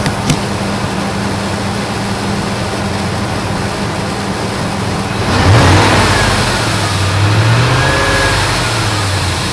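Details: Truck 5.4 V8 idling with a steady low buzz, brief blip then same drone; cause unknown, owner asking.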